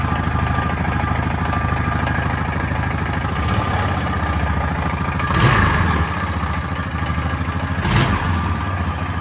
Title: 2013 Honda foreman 500 mystery engine noise, what could it be? See next short